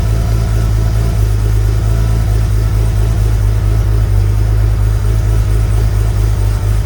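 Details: Sunseeker XPS 25 powerboat, BMW B220 engine, on a water supply, after priming the fuel filter water separator pump: deep, steady rumble with an even beat and no misses or rattles. Normal, clean running.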